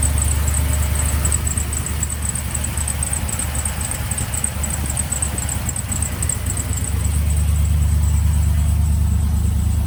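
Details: Trailblazer SS V8 after replacing the GM fuse box (crank-no-start, codes P1682, P0689, P0443): steady low idle with an even smooth beat, no misses or knocks; normal idle.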